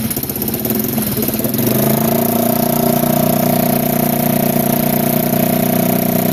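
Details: 1987 Kawasaki Mojave 250 ATV, neglected after long sitting, second start after tightening the exhaust manifold: single cylinder catches and settles into a fast, steady high idle with a raspy puffing edge; the choke is missing and its port is plugged with a small orange plug, plus an exhaust leak at the header.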